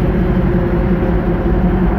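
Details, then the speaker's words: 1966 Chevy Nova Wagon, 327 small block with small cam, TH350 automatic, Ford 9-inch rear: even, deep V8 burble at steady idle, no ticks or misses, smooth not-overbearing exhaust note; normal idle. "here no ticks or nothing runs nice and smooth good little exhaust note but too overbearing but"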